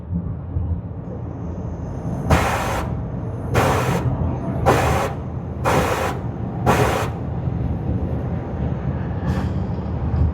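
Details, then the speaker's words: 2020 Land Rover Evoque with low power complaint, driving under light acceleration: five sharp hissing bursts, about one a second, over road rumble as engine momentarily loses power; blowoff valve or wastegate actuator suspected of dumping boost, wheel speeds unchanged. "it sounds like the blowoff valve or the waste Gates actuator is is dumping boost pressure nothing's changing on the wheel speed signals here the differential is not engaging sometimes under light acceleration it'll do"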